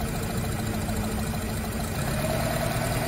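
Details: Nissan Tiida/Versa petrol engine idling very unevenly with a lumpy, stumbling beat, two cylinders not firing and no fault code; injectors disabled one by one with a scan tool to find them.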